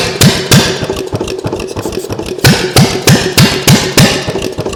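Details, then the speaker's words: Homemade engine with rebuilt pistons and rings, no carburetor, gas squirted into the intake; slow uneven firing pops about three a second with hammer-like knocks, no steady run; doesn't have much compression. "like I said I it it doesn't have a whole lot of compression um you can see the intake moving a little bit when you crank it over fast"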